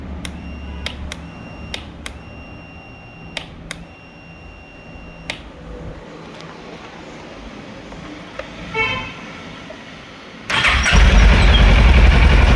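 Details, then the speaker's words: 2011 Kawasaki ER-6F (Ninja 650R) that won't start after sitting a month. With the starter relay refitted and the ignition on, scattered sharp single clicks with no cranking, then a sudden loud rush at the end. Cleaning didn't fix the relay; there is a small loose connection. "Relay ശരിയാക്കാൻ പറ്റിയില്ല clean ചെയ്തിട്ട് ready ആയില്ല ഒരു ചെറിയ loose connection ഉണ്ട്"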